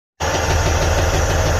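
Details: Detroit DD15 diesel truck engine idling with a deep, steady knock over the clatter; oil pressure reads good, so the knock is attributed to a defective connecting rod bearing.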